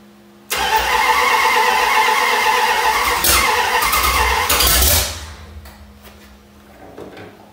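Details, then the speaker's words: 1973 Dodge Dart engine first start after unknown years sitting, new module wiring: catches and runs loud and rough about four seconds, then dies; weak, run-down battery while timing was being adjusted by turning the distributor caused the stall. "okay all right so what we got going on is one my battery is like it's needs to be it we need to just let it charge up all the way cuz we've just used it way too much and it's dead"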